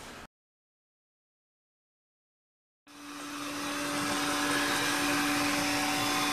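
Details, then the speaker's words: Sanyo POWERbot R9000 robot vacuum after over three years of use: after a quiet gap the motor spins up to a steady mid-pitched whine over airy suction hiss with only a slight flutter, no dragging or jamming; runs normally. "You can almost tell from the sound that it's running okay. A little flutter in there, but you start getting a fluttering noise and you hear it kind of dragging, you know, getting jammed up."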